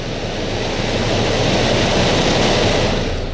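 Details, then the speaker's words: 2013 Dodge Dart blower motor, previously intermittent then dead, after the prongs were bent and cleaned: run through speeds to high, strong steady rush of air, smooth even fan note, no rubbing or ticking; working properly. "There's 1. There's 2, 3. Look how fast that thing goes. Wow."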